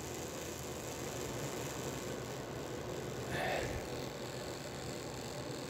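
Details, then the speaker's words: Royal Blue slot-car chassis with ball-bearing axles, after oiling a dry bushing, about 1.9 V: faint, steady high motor whir with no grinding or catching; bearing noise gone, runs quiet and smooth. "So as you can hear, it's pretty okay, pretty quiet."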